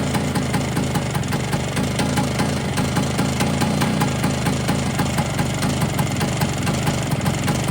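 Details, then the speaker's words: Polini 177 two-stroke Vespa after fitting new piston rings, cold idle with no heat in it and smoky from oil in the bore: a fast, steady metallic top-end rattle that seems to be in the cylinder, cause not found; owner fears seizing it again. "But she broke. I've still got that top end rattle."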